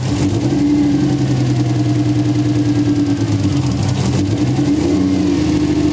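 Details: 1JZ VVTi-swapped Nissan 240SX idling before the fix: a rough, lumpy idle with an uneven drone and a stumbling beat. Cylinder 4 is misfiring, traced to an injector plug not seating.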